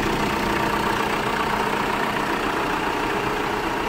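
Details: New-version Tata Safari diesel, which had a loud growl from the front of the engine after starting. After replacing the alternator clutch pulley, it idles evenly and quietly. The alternator tests good at 13.7 V under AC and headlight load.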